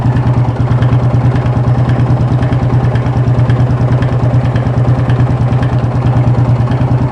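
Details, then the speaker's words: Yamaha Fazer 250 motorcycle with strange engine noise, warm, idling, vacuum readings 50–60 and 22: regular knock about three times a second deep in the engine; internal noise, engine to be disassembled. "bom galera Dá para vocês ver que tá muito estranha muito complicada vamos ver o que é que tá acontecendo aqui agora né"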